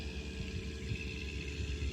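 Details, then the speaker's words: KitchenAid built-in fridge KSSO48FMX01 that was not cooling, after fitting replacement part W10629033: compressor and condenser fan start together, a quiet, even low hum with a faint steady tone at variable speeds, no knocking or rattle; running normally. "you hear that noise the compressor just started the condenser fan motor and compressor starts at the same"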